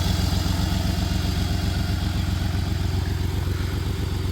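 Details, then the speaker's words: 1993 Dodge Caravan, Chrysler 3.0 V6 with blown head gasket, idling before repair: uneven, lumpy idle with a dropped pulse every few firings over a deep rumble; misfire, not smoking much, owner suspects no coolant left. "It's idling okay right now. Obviously missing, but it's idling. It's not smoking too bad right now either."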